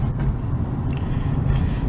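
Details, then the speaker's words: Dodge Avenger driving after the faulty right-side wheel hub was replaced: a steady low road rumble with no growl or hum building with speed; the hub noise is fixed. "So going down the road here. As you can hear, no road noise. I mean, no wheel hub noise. So I finally fixed the wheel hub."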